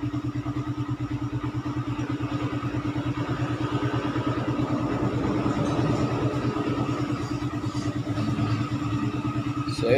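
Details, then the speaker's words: Raider 150 single-cylinder after valve clearance adjustment and head refresh for hard starting, just cold started: even quick beat about three firings per second, no misses; normal idle, no longer hard starting. "na siya So Col start so hindi naman gaano ka hard starting Okay na siya"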